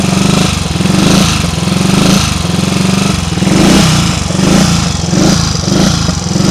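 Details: Triumph Tiger Cub single-cylinder engine after flooding the carburettor on a damp day thumps unevenly, beat swelling and sagging as if misfiring, stalling under load; seemed to improve once warmed up.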